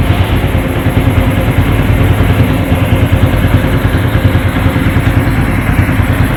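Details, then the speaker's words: Honda Supra X 125 FI after valve clearance adjustment: an even single-cylinder idle with a smooth, soft valve tick and no harsh clatter. The valve train noise is normal and clearance sounds right. "teman-teman ini sudah nyawa ya sudah menyala bahwa disini suara katup sendiri eh halus ya ndak bunyi kasar ya"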